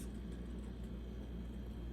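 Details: Home Essentials HE168RC stand fan on highest setting after oiling dry shaft and reassembly: steady even low motor hum with no squeak or chirp; squeak fixed, runs smoothly.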